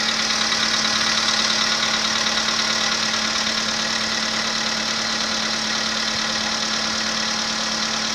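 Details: VW Polo Sedan, 2015, 1.6 85 hp, about 24,000 km, cold engine first start: steady idle with a sharp regular tapping about three times a second. Knock appeared at 14,000 km; cause not pinned down.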